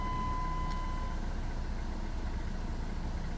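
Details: 2004 Dodge Neon after fixing a no-start caused by a broken part: engine starts and settles into steady even idle with smooth low rumble, no knocks or misses; normal start and idle.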